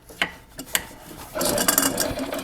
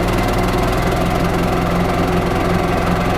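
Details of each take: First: 1995 Yamaha G14 gas golf cart that won't start: a few clicks, then a brief whirring chatter as the starter generator spins weakly without cranking the engine, showing worn brushes. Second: 1995 Yamaha G14 gas golf cart after starter generator repair, PCV reconnected: single-cylinder engine runs at a steady, even fast beat for several seconds, then shuts down; normal running.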